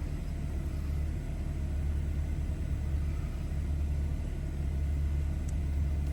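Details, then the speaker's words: 2014 BMW 320i, warm engine at about 80-90 degrees: smooth, even low hum that lifts slightly and holds steady as the engine revs up during the onboard engine oil level measurement; normal raised idle. "So now I can start measuring, and now it's gonna start measuring, so that may take a little while. And also you will hear the engine rev up a little bit while it's doing"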